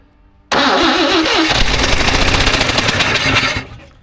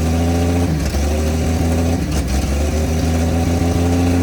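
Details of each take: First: 1954 Chevrolet revived after two decades sitting, slight exhaust leak; quick crank catches into uneven stumbling sputter for about three seconds as number one spark plug left out; misfire from missing spark plug. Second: 1954 Chevrolet inline six revived after sitting two decades, idling on open exhaust: smooth, even idle with a steady low hum and no misses, "a Swiss watch"; shut off because of fuel leaks. Normal idle.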